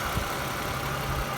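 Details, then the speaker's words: 2010 Lexus ES350 with about 153,966 miles: steady, even idle with a low hum and very little vibration, no knocks, misses or rough pulsing; the engine runs super smooth and sounds healthy. "Listen to this engine. Very little vibration."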